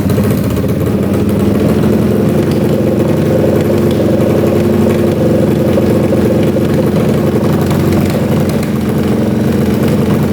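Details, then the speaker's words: 1981 Honda CX500 café bike, long stored, running without pod filters: popping, suspected lean mixture and worn accelerator pump diaphragm; with some choke it holds a steadier, slightly lumpy idle and sounds much better. "you can hear it popping pretty good we can try putting the Pod filters back on see if that makes a difference but it's popping through here usually means just run and lean put the choke on a little bit"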